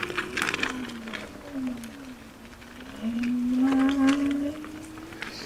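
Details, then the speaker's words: Kingsong S22 electric unicycle (Dec 2022, stator pinned) riding forest trails: a thin whine that wavers and climbs with wheel speed, heard over the trail noise; cause unknown. "I must say I did hear this other whine. I don't know if you guys can hear it."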